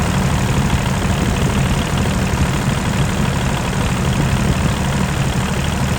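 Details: 2001 Caterpillar 302.5 mini excavator, Perkins 3013 diesel, after replacing the leaking oil pressure sending switch: a steady, even idle clatter with a deep, constant beat and no misses or odd knocks. Normal idle.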